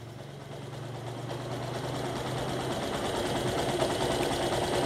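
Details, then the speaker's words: Yamaha YTX125 single idling after the carburetor mixture screw was opened a further 1/4 turn beyond 2.5 turns out: steady even low thump, slight rise in level; idle hardly changed, runs smooth. "Ngayon pwede pa natin siyang ihanap. Ihanap natin in the sense na kung tataas pa ba yung yung idle o bababa."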